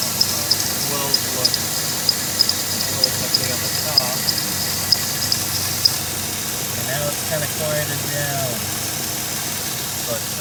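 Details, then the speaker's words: Van idling before a drive, after a JB Weld repair: steady idle with a sharp light tick about twice a second for six seconds, then fading. The noise has returned after the repair; its source is not identified. "started hearing the noise again and it's not that loud but you can you can hear it hold on oh yeah she's making noise again"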